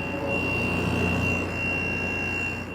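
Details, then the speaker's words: Made-in-China Kool King window air conditioner with a GMCC compressor and R410A refrigerant, after a cycle; a thin, steady, constant-pitch high whistle over the low running hum, likely from the compressor: abnormal high-pitched whine. "The dreaded, freaking high-pitched noise."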